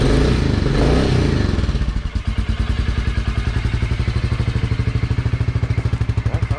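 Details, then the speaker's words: Royal Enfield Classic 350 single started just after an oil and filter change, level correct in the sight glass: catches and settles into an even thump-thump idle with no tapping or knocking; healthy. "sounds fairly good. So that was the oil change. Very good."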